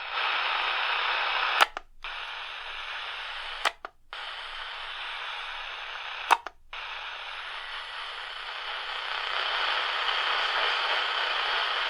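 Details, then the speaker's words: DreamSky DS-209 portable radio on the AM band, tuning up the band with a transformer unplugged: hissy static with buzzing and faint steady high birdie whistles generated by the radio itself, broken by click-and-mute gaps as the tuner steps. "I'm gonna hear buzzing you can hear birdie tones it's all from the radio"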